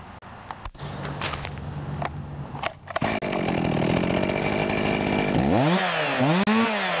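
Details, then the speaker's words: Stihl MS 361 chainsaw, about a year old, after replacing the ignition module (coil with rev limiter) that had stopped it revving beyond about 5,000 rpm: screams to full revs and holds, revving cleanly without bogging or winding down. "So, I can get full speed now out of it. Not winding down like we did in the previous uh video."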